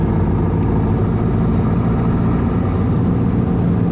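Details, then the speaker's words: Jeep XJ 2.5 turbo-diesel after fitting a fully mechanical injection pump with 11mm plunger (replacing 10mm), fuel screw adjusted, on test drive: steady, even low diesel drone, no knocks, misses or surging; engine runs smoothly. "So it idles really nice."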